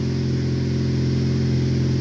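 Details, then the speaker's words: 2002 Saturn SL, first startup after injector work: steady, smooth high idle with a low hum, no stumbles, shaking or misfires, later settling to about 700–800 rpm. "i don't feel any misfires the engine is like super smooth let's let it come off of this high idle"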